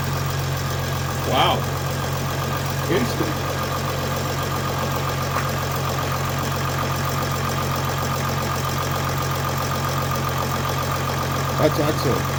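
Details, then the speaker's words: Mercedes OM642 diesel in a Jeep WK Grand Cherokee CRD, first start after replacing a worn timing chain tensioner that was bypassing oil: settles instantly into a steady, even idle with no chain rattle; normal idle. "that actually I thought it was going to sound way worse for a lot go perfect"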